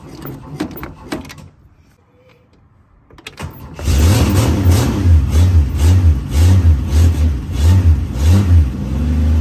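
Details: 1968 Plymouth Valiant slant six, cold start after sitting, gas pedal pumping: quiet pause, then engine catches and settles into a strong low run with repeated throttle blips; starts and revs cleanly.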